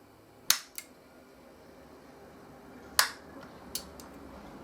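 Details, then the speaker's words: Soft-start circuit for a toroidal transformer on a dim bulb tester, quiet room: sharp switch click followed about 100 ms later by a softer relay click, twice; relay engagement delay working normally. "so I'll count the frames that it took from when that switch turned on to when the relay clicked in and I'll do it one more time just to verify and be very quiet"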